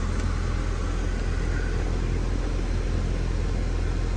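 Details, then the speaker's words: Goodman AC outdoor unit compressor starting and running with a steady deep hum after the capacitor was replaced; before, it only hummed and buzzed and stopped while the fan ran. "there's our compressor ticking on we change the capacitor out"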